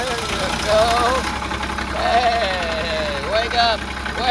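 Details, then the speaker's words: Carrier Supra 850 reefer with Kubota D722 diesel (Volvo VNL780), first start after weeks and injector lines bled: runs unevenly, surging and stumbling; air still in fuel lines, smoothing once last injector line tightened. "Still running on air."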